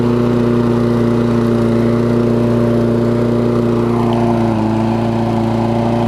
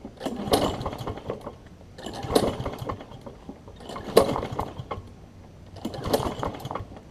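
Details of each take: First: Toro self-propelled mower with Kohler engine, after cleaning spark plug with carb cleaner restored spark: even, steady drone with clean hum; speed dips briefly, then holds; runs smoothly, no misses. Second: Toro self-propelled mower with Kohler engine, choke on: four pull-start attempts give brief chuffs, never catch; owner thinks old gas on spark plug, later cleaned with carb cleaner to restore spark; no-start, fouled plug.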